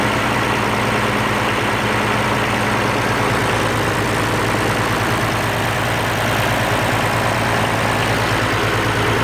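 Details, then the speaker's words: Oliver 1550 diesel tractor after rebuilding the sticky, wet-stacking number six injector: steady diesel clatter at an even low idle with no miss or stumble; it sounds much better, a normal idle. "okay oh that sounded much better"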